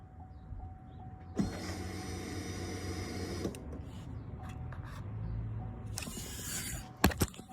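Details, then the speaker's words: 2004 GMC Sierra after fuel pump and fuel line replacement, key cycled on: steady electric hum for about two seconds after key-on, then stops cleanly; new in-tank fuel pump priming normally. "That's the sound you want to hear. That's the fuel pump."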